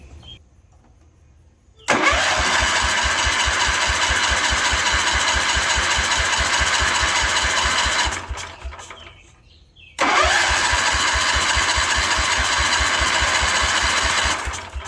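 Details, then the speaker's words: 1972 Wheel Horse Raider 12 lawn tractor after 15 years stored in a shed, fresh gasoline added: two long bursts of starter cranking about three to four turns a second with no firing; cranks but won't start, fuel delivery suspected. "Well, let me spray a little carburetor cleaner in it and see if I can get it to hit."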